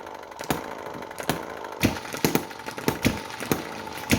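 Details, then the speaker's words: Chinese model hit-and-miss engine, after adjustment so it sparks only with the valve correctly closed: sharp single firing pops at irregular intervals with quiet coasting between; normal governing, running well. "that little bit there tells the engine not to spark unless the valve is in the correct closed position we should now have some life in this engine foreign I just love that engine"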